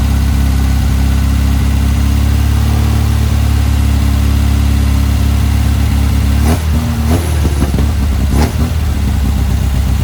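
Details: Car fitted with a Weber 44 IDF carburettor, original parts refitted: steady, even idle, then two clean throttle blips that climb and drop back without stumbling; healthy.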